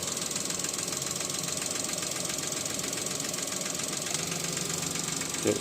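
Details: Suzuki Alto engine with a fast, light knocking at about four per second over a steady run; the cause is not stated.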